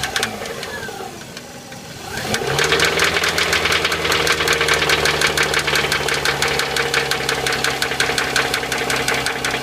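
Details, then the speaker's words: Subaru engine just after start, idling and warming: sharp regular knock about three per second over idle, sounding worse as it warms; cause unknown. "i mean you can hear this weird weird strange noise coming from inside i mean i just i really can't come up with an"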